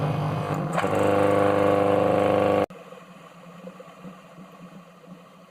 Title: Very unhappy soft starter, SCR misfire